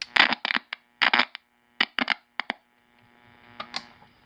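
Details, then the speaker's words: Estate-sale AM radio on AC power: steady low mains hum under sharp switch clicks, attributed to a bad filter capacitor; the hum is audible with tone on high, and a switch feels rough. "It's got a bad capacitor in it."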